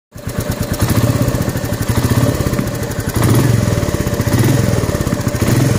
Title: Royal enfield Meteor 350 Engine noise.. newly found...